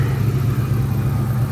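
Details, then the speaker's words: 2004 Ford Mustang Mach 1 V8, still cold before warm-up, thermostat replaced with the motor: lumpy, uneven idle. Owner suspects an exhaust or vacuum leak, or a bad O2 sensor, behind the code. "I'm under the impression it may have an exhaust leak. and or"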